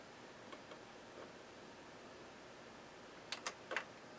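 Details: Sony BDV-E2100 Blu-ray system, cleaned of dust and powered on: quiet hum, then four or five light clicks as the loader tries to eject but gives up; tray failed to eject at first, cause not confirmed.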